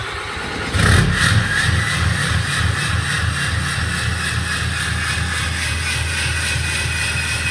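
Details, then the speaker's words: 2018 Ram 3500 6.7L Cummins diesel just deleted (DPF, DEF, catalytic converter removed), straight-pipe exhaust, aftermarket grid heater: catches after a second, loud deep even rumble, steady revs, no misses; normal running. "Well, we got ourselves a diesel, boys. Okay, good. All right, straight pipe Gen 4 deleted."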